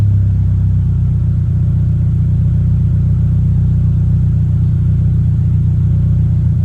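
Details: 2023 Toyota GR86 just after installing an aftermarket exhaust (transcribed "NVIDIA 1") in place of OEM, heard on its first start after install. Deep, even low rumble with no rasp, rattle or ticking. Normal, healthy engine and exhaust note.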